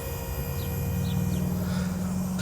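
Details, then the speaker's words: 2015 Honda Wave 125i bored to 143cc, fuel injected, seat open: low steady hum at key-on, the in-tank fuel pump priming normally. "that's the fuel pump turning on and priming when the bike goes"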